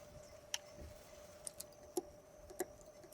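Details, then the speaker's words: Chemical transfer pump on a grain farm, which worked when stored but sat a long time, is switched on: a few sharp irregular clicks over a faint hum with no motor spin-up. The pump clicks but will not run. "Yeah, it was a wishful thinking. I can hear it clicking when I turn it on, but"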